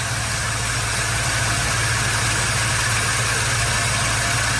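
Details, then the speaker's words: Idle just after starting on freshly charged Odyssey AGM2 TPPL battery, charging voltage climbing toward 14.3 V; steady even idle, constant low hum, no knocks, misses or surging. "Coming up. I'd say it could be a little higher, but it's not bad. Let's let it run."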